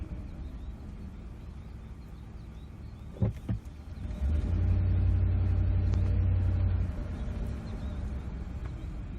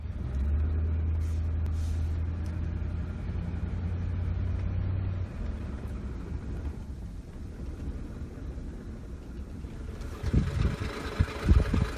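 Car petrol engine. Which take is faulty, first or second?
second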